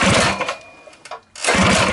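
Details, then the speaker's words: Rebuilt Tillotson 212cc mini bike engine from a Mega Moto 212, with PZ22 carb and 225 RS race cam, restarted after the rebuild: a quick chuffing burst, then it stumbles, pops and catches again; backfiring and hard starting, cause suspected, not confirmed. "all right I think we need to adjust the carb or the uh the idle just a little bit there let's start it one more time just for we not getting gas back fire"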